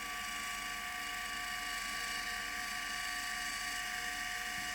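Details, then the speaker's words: Litter-Robot 3 drive motor gearbox after re-greasing the first and second gear reductions, run off the unit: steady even high-pitched gear whine with light mechanical buzz, chattering/rattle-squeal gone; this gear noise is normal for this gearbox. "the noise that you hear the chatter or I shouldn't say the gear noise is normal for this particular gear box"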